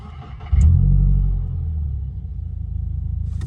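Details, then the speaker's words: 2022 Subaru WRX with JB4 on about an E30 blend, ETS intake and cat-back exhaust (no resonator, no muffler), at the drag strip with intake air temps a little high. Engine catches, then settles into a smooth, even, low rumble. Normal idle. "This thing is smooth. That idle is so much smoother than all the EJs, but as you guys can see, just chilling."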